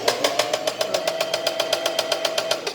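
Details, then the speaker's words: Singer Facilita Pro 4423 sewing machine, about eight months old and under warranty, running unthreaded: rapid hard clacking about six to seven per second over a steady tone; sudden loud noise after thread, needle and lubrication changes, owner suspects the motor. "do nada começou esse barulho é o que barulho horrível que essa máquina papo e ela não tinha esse barulho"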